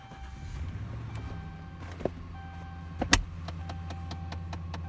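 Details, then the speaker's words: 2009 Dodge Ram 1500 with no heat: sharp plastic ticks about five a second over a low cabin hum at startup, a knocking traced to a failed heater blend door actuator. "you hear that knocking close so I kind of put two and two together it's like okay I realized when I started hearing that knocking mi'jita wasn't working"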